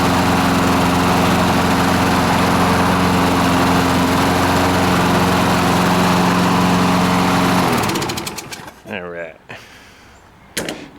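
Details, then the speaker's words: Free small single-cylinder lawnmower engine after blowing debris off the governor and refitting the shrouds: steady, even drone held at constant governed speed for about eight seconds before shutdown; normal running. "that's better now everything can kind of move like it's supposed to the governor can govern that's better"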